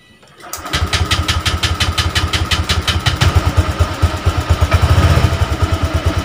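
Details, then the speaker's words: Honda Vario 125 (old model, injection) that was totally dead with no electrical power, now repaired: the starter catches within half a second, then a steady, even putter of about three beats a second. It starts and idles normally. "berhasil ya, starter pun juga jalan. Terdengar ya, motor sudah nyala, speedo sudah nyala."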